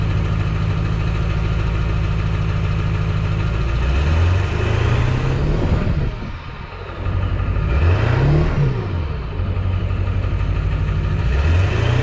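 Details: 2002 Ford F-350 7.3L Powerstroke diesel, started after replacing a stuck fuel filter, priming the bowl, Sea Foam added: catches and runs with steady clatter through a few quick revs and back down; running normally.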